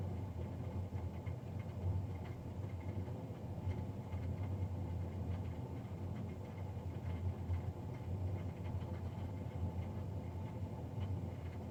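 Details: Navien NCB-240 boiler recorded Feb 3, 2020, three days after a Jan 31 service: steady low droning hum with faint rattle throughout, louder than a boiler fan should be; combustion fan fault suspected.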